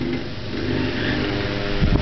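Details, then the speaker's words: 1904 Wesco Supply cast-iron pancake desk fan, single-bearing shaded-pole motor with wire-coil shading coils, running on high speed: steady even motor hum with soft blade whoosh, no rubbing or rattle; normal fan motor running. "that is high speed you can hear the Shaded pole motor humming there's a rotor spinning around"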